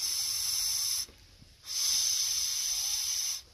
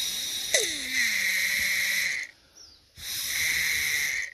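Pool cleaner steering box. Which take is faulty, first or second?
first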